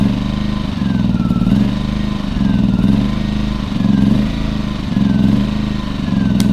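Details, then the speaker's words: Champion 2000 W 73536i inverter generator with about 16–24 hours of use: engine hunts up and down about once a second at idle; the carburetor, including the idle jet, was cleaned and a fuel filter added. "it at start when it was running in idle it would just surge and not run right"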